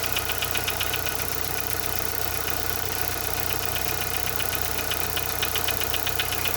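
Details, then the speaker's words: Chevrolet Corsa Montana petrol engine at idle: sharp regular tick about four per second, which disappears when accelerating; prior diagnoses suggested piston slap, wrist pin, or lifter, and the engine is to be opened. "é só quando ele tá sem rotação, ó. Quando você acelera, ele não faz o barulho, ó."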